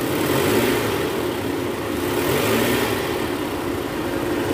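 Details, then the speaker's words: 2010 Toyota Vellfire, 2AZ-FE 2.4 L, after replacing a failed balancer shaft, heard from start-up: even, settled idle with a smooth hum and no harsh rattle or rough knocking; normal idle restored. "Guys Jadi sekarang udah nggak ada suara kasar ya di bagian mesin ini suara mesinnya udah normal kembali setelah penggantian balancer Sharp"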